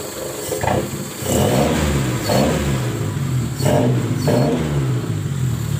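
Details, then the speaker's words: Colt T120SS after refitting the throttle body, whose worn valve let extra air through; the engine holds an even idle with light throttle blips and no hunting, rpm now stable: normal idle. "seperti ini sobat ya Jadi sekarang rpm nya sudah stabil"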